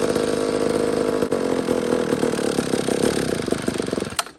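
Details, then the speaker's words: McCulloch chainsaw that sat for years, after flywheel removal and points setting restored spark, given a small shot of fuel: screams at high revs with an uneven, surging buzz, then fades and dies. Owner suspects the carburetor; not confirmed. "That's very interesting. It's got to be carburetor. I think it is. I think it's carburetor."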